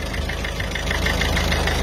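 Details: Citroën C4 Picasso 2009 DV6 HDi diesel at idle during an injector seal leak repair: even idle with a steady light clatter and smooth low rumble, no misses or odd knocks. Sounds healthy.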